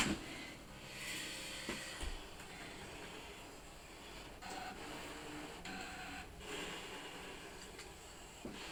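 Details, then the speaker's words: Brother ScanNCut DX cutting machine doing a half cut on paper at speed 3 with automatic pressure: soft, low whirring with light shuffles and taps as the head moves, quieter than CM models; normal cutting. "As you can hear, it's a lot quieter than your DX CM machines."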